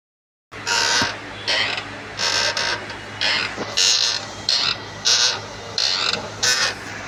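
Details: Renault Kwid clutch: dry, squeaky creaks in repeated bursts about once a second with little engine noise underneath; clutch wear or release bearing suspected, cause unconfirmed.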